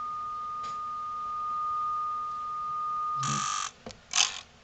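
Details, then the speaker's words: NAD C370 amplifier, test tone: it holds, then cuts out abruptly with crackly clicks as the speaker protection relays chatter off. A hot, shriveled capacitor on the protection module is suspected. Protection relay chatter. "yep i just heard everything just chatter off and disappear"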